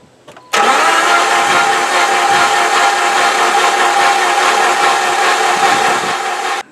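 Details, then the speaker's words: Jeep engine after an engine swap, cranked with coil and injectors unplugged to prime the oil pump: steady, even starter whir for about six seconds with no compression pulses or catches; normal cranking. "i'm gonna turn it over we prime the oil pump so now when i turn it over it should start sending some oil to the rest of the engine pistons should move all that fun stuff"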